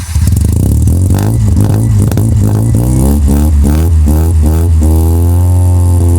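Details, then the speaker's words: 1985 Mazda RX-7 GSL rotary, microphone at the exhaust after installing a new exhaust: revs up and settles with a raspy, puffing edge from an exhaust leak through a hole between the pre-silencer and connecting pipe; the old leak is gone. "The point between the pre- silencer and the connecting pipe, there's a hole. There's an exhaust leak. You can hear it. Yeah. So, it's not going to sound as good as it should."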